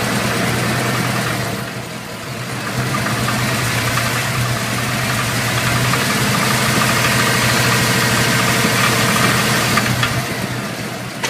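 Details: New crate engine with about 2000 miles at idle: sharp, regular knock about four times a second rising with revs; owner asks whether it is rod knock, unconfirmed.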